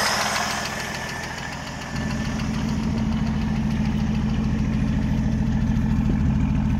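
A regular light tick, about three to four a second, over a steady idle; a tick of unknown cause.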